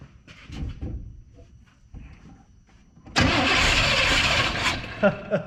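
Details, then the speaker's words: Abandoned Chevrolet K5 Blazer revival, power wire hooked straight to the distributor; slow quiet cranking bursts into a brief loud roar that fades after a couple of seconds, spark now present but firing order set wrong, so it won't keep running. "Sucker's trying to start now. We got spark."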